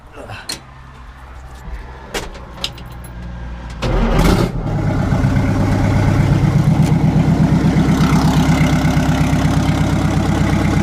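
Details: 1960 Kenworth W925 semi truck, exhaust removed, started on open exhaust manifolds: cranks, catches after about four seconds, then a loud, raw, evenly pulsing diesel bark; normal running with open manifolds.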